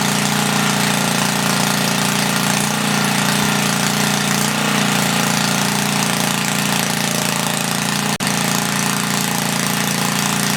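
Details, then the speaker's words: 1976 Tilly rototiller, about 3 hp Briggs & Stratton with points, not run for years, carb ultrasonically cleaned; loud raw single-cylinder bark with uneven lumpy beats, running rich until main jet leaned out; later lost spark. "we're running all right i just had to lean it out a little bit on the main jet"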